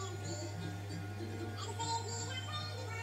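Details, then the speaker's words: Hitachi TRQ-134D 8-track recorder under repair: music plays high-pitched and rushed at about double speed over a steady hum because the tape head doesn't retract in fast forward. "tape head doesn't come away in fast forward, so it's now just going fast. Seems about double speed."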